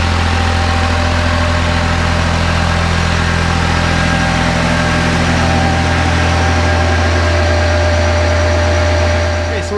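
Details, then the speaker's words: Kubota B7100 diesel driving a NorthStar PTO generator charging a battery bank, running on year-old diesel at about 40 to 50 percent load: steady even drone, no knocks or misses, running normally. "I'm doing fine at 40 percent but let's go ahead and up it to 50. this is where I normally run it it's pretty happy at 50."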